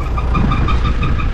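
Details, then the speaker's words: Mitsubishi Shogun/Pajero diesel at startup and idle; rapid chirping squawk, about six pulses a second, over a steady idle, from a loose, slipping alternator fan belt. "show me Jeep here has been making a bit of a squawk let's see let's start it up"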